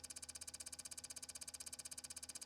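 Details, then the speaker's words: Xbox One at power-on: high, airy whir pulsing about fourteen beats a second; faulty cooling fan not spinning properly, possibly worn bearings, so the console stays on briefly then shuts itself off; fan replacement planned. "this one is actually staying on for a little bit, but it's actually going to end up turning off because the fan is obviously not spinning optimally."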